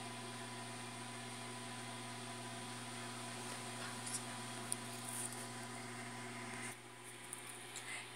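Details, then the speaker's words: New automatic egg incubator bought online, warming toward its 37.8°C setpoint (nearly 36°C): quiet, steady low hum with an even whirr, no rattles or wobble; the owner says it is working properly and the fan runs normally. "e então quer dizer acham que ela está funcionando direitinho e isso é o que importa né"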